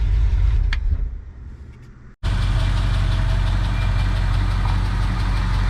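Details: 1966 Ford Fairlane GTA V8 after fitting a remote oil filter and new gauges: after a short dropout, a smooth, steady, deep idle with an even low rumble and no knocks or misses; good oil pressure, 14 volts charging.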